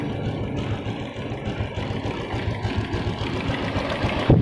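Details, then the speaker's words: Honda Revo fuel-injected (K03) motorbike that was misfiring, after spark plug replacement: low, steady putter with no misses or stumbles, holding a settled idle; fault was only the spark plug. "ternyata motornya normal dan mau stasioner teman-teman ya mau stasioner"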